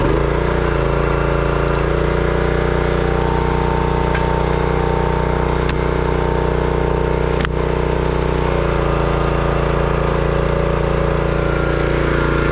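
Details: Brute 30-ton log splitter, Briggs & Stratton engine (9.5 ft-lb gross torque, roughly 5-6 hp), after no-start repair: steady even drone pulling down slightly under splitting load and recovering cleanly; runs smooth and healthy.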